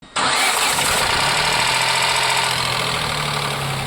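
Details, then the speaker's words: Ford Ka 1.0 three-cylinder at start: busy idle with a rattle for the first seconds that then stops, noise constant once hot. "Reclamação do cliente. Barulho ao ligar. Assim que liga faz depois passa uns segundinhos e para. E quando o carro esquenta, barulho o tempo todo. Parece que tá destruindo o motor."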